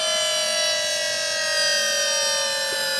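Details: 3-rotor Mazda RX7 FC, newly fitted power steering pump running with ignition on, then switched off: loud steady high whine with piercing top end, pitch sliding down like a jet winding down; owner unsure if normal.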